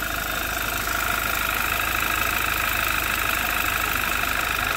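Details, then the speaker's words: 2011 Audi TT Quattro 2.0T TFSI, just fired up for the first time after engine-damage repair, on a chilly day: light ticking of about 3–4 per second over a steady idle. Owner suspects valvetrain noise from lifters still filling with oil, which should quieten. "So it's a little clicky, but I also am not that familiar with how these motors are supposed to sound. That just seems like valve tray noise to me."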